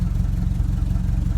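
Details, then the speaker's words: 1961 Triumph TR3B, dead cold engine at very low idle, deep slow thumping about thirteen pulses a second; oil pressure just under 50 psi, charging barely above zero amps, generator light possible at this idle. "go good that's nicely tan we have such a low idle here it's not uncommon to see a generator light on"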